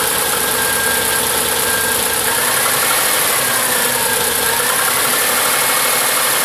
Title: Cold engine knock sound?